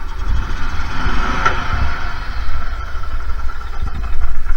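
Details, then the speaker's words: Gas Club Car DS golf cart after starter generator repair (new brushes; previously dragged hard): small engine fires and holds a steady low rumble, no dragging or stumbling; starts and runs perfectly every time. "Fires up and runs perfectly every single time."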